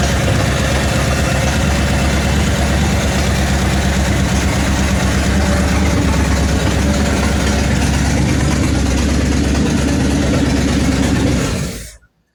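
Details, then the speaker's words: 1966 Mustang V8 at idle: loud, raw exhaust with sharp, rapid unmuffled pulses; the exhaust runs straight off the header. "Uhoh, I can hear it now. So, what is going on with this exhaust system? Do we have any exhaust system? I think we're running off the header."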